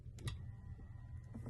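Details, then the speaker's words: 1995 Lexus SC300 power mirror, ECU circuit test with 12.37 V battery voltage on right-mirror motor: faint, steady low whirr with light clicks as mirror travels smoothly; mirror motor working normally. "oh yeah 1237 that's battery voltage and I heard the mirror moving so that's a very good sign"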